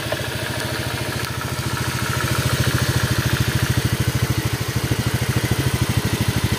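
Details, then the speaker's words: Honda Vario 125 scooter after a radiator leak repair, thermostat checked and normal: steady, even single-cylinder idle with no misses. The tok-tok noise from the roller clip was left unreplaced. "Ini hasilnya kakinya agak ngedrop ini nah untuk suaranya [Musik] [Musik] halus"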